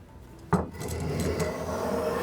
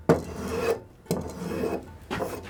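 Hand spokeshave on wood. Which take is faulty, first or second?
first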